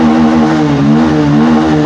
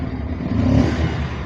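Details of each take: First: Bajaj Pulsar 150 BS6 after fixing an idle-off and low-pickup fault by replacing the full throttle body (MAP sensor alone didn't fix it), TPS about 9% at idle: revs climb and fall back cleanly twice, no hesitation or bogging. Normal revving. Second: Bajaj Pulsar 150 BS6 with no idle, poor pickup and stalling: when revved, the engine starts to climb, then sags into a labouring rumble and bogs down. The fault is a bad throttle body sensor.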